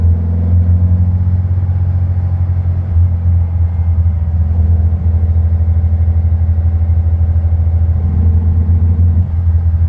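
Low rumbling run with uneven dips and stumbles every few seconds instead of a clean pull; hesitation and misfire, cause not yet clear.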